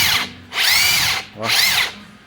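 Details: Makita 40V cordless 3/4 impact wrench after service (old grease cleaned, regreased, new sealing gasket, trigger rubber repositioned): two trigger pulls wind up to a clean high whine and spin down evenly. The earlier growl is gone.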